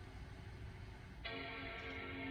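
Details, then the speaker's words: 2009 Mac Pro restarting after password reset: fan ramps up briefly at power-on then quiets, followed by a clean, sustained startup chime; boots into Sierra. Normal startup. "you can hear the the fan seem to ramp up when you first turn it on but then it stops very quickly"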